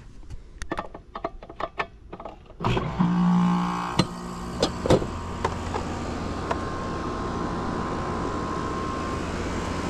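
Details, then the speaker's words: Mobile home AC outdoor unit that wasn't cooling, after capacitor wiring checked: a few clicks, then the compressor kicks on into a steady even hum with a faint tone; compressor starts and runs normally. "That's the sound I was looking for."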